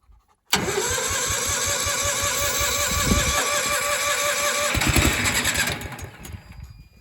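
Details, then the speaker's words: Miller AEAD 200LE gasoline welder/generator, first start after about 15 years sitting, on starting fluid, thin gas-smelling oil: cranks, catches, runs raggedly about five seconds then dies; spark confirmed, gummed carburetor not feeding fuel. "Alright, that's pretty good. It tells us that the ignition system is working. It's getting spark."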